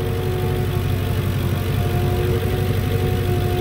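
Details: Lincoln Town Car idling after new alternator and ground strap install, voltage settling toward 14.15 V after earlier high-voltage codes: steady even idle, smooth low rumble, faint constant tone on top, no misses or knocks.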